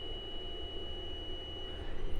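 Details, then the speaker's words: UPS prototype buck converter board, 15 V rail faulty with the 7805 outputting 15 V, mic held close: thin, steady high-pitched whine at one pitch over a faint hum; power supply whine. "I'll bring the mic real close can you guys hear that high-pitched whine I'll unload it says unloaded more loaded more loaded that's the noise"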